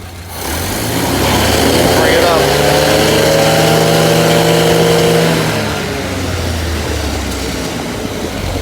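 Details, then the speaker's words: Ford Model A test-stand engine running a freshly rebuilt carburetor: idles very low at about 500 rpm, then climbs smoothly to mid speed and drops back cleanly with no stumble. Jetting and idle are adjusted correctly. "that's the right model a sound but it's running really really low it's only run about 500 rpms"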